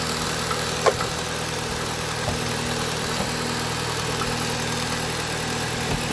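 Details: 2016 Jeep Patriot after misfire repair (codes P0302, P0171, P2096, P000A) and codes cleared, charger running in background: smooth steady idle, no misfire or knock; running smoothly.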